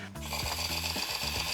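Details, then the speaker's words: Traxxas RC car stock Traxxas 2075 brushed, plastic-gear steering servo: harsh buzzing whine with rasping, ratcheting grind jumping in pitch as it strains; servo failing, to be replaced. "As you can see, the servo is not doing too well. And this is the stock servo."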